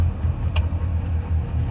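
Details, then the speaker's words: Subaru 360 van two-stroke after a rev to about 4,500–5,000 rpm: fast, steady idle hanging around 2,100 rpm that won't settle; idle too high and slow to return, carb needs further adjustment. "now it's hanging there 2100 that's not okay or something stuck here"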